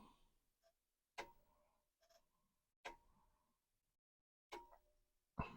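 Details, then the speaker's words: Commodore 1571 disk drive on a Commodore 128, stored for a very long time: quiet room with short bursts of sharp clicks and pauses as the head steps; head may be dirty or mechanism stiff from storage. "I heard the head move the head could be dirty remember this drive has been sitting for a very long time"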